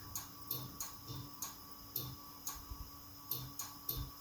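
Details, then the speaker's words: 1971 Lincoln Continental Mark III parked for over 40 years, small battery fitted, key turned: sharp light clicks with no cranking; no-start, owner suspects the starter or spliced ignition wiring. "let's turn the key s on that you guys hear that just uh clicked"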